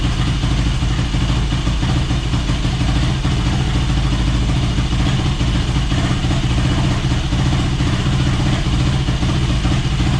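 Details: Yamaha YFZ450 quad, a rough project bike with a new fuel line, running on the stand with the airbox off; steady single-cylinder idle with an even low beat, no hunting or stalling; normal idle.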